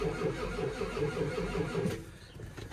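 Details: 1989 Ford F250 diesel after transfer case swap and ground fix, cold weather around 15°, tried without ether: slow steady starter chugging about two seconds with no firing; cranks but won't start.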